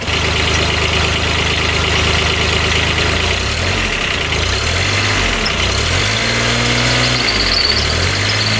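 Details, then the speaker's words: 2009 Kubota RTV900 diesel UTV, restarted after repair for white smoke and coolant in radiator: steady diesel clatter at idle then several smooth blips rising and falling with no miss or knock; revs out okay, one cylinder still uncertain. "Seems like it's revving out okay."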